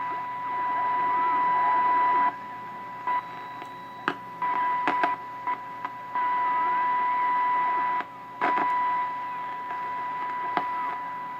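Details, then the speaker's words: 1929 Radiola 66 superhet chassis, no cabinet, after interstage transformer replacement and during capacitor alignment: steady high-pitched whistle broken by clicks and adjustment noise over hiss; suspected IF stage squeal, cause unconfirmed, may need neutralizing. "ya hear that now I might have to neutralize that I was hoping to avoid that"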